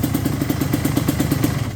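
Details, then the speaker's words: 1988 Suzuki LT250R 250cc two-stroke quad, first run, idle just adjusted: crisp, even popping about eight beats a second, steady idle with no stumbles; healthy two-stroke idle. "Still have no front brakes, so maybe we'll address that next. But it runs. Sounds good. Good start."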